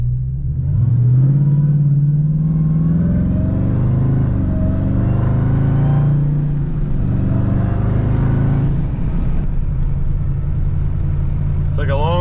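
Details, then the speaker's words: Dodge Hellcat V8 driving with traction control off, after replacing supercharger whose old unit had too much rotor gear lash and made noise when hot; window down. Deep V8 rumble climbing with revs plus faint steady whine: normal supercharger whine. "Hope y'all can hear that supercharger like I can. Turn this window down. Let us see if you can hear this supercharger."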